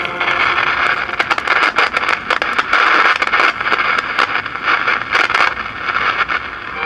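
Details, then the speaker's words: 1947 Philco 46-1226 radio-phonograph powered up on a light-bulb tester: sharp irregular crackles and pops; suspected silver mica disease or a paper capacitor getting ready to short, cause unconfirmed. "that sounds like silver mica disease except this doesn't have silver well it does have some silver mica capacitors in it but it doesn't have silver mica if transformers could be a paper capacitor getting ready to short"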